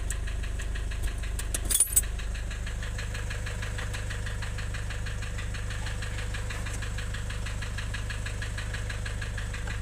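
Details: Nissan Urvan Estate with ZD30 (E25) diesel at idle: steady clatter around three beats a second over an uneven low pulse; rough idle with white smoke from compression loss.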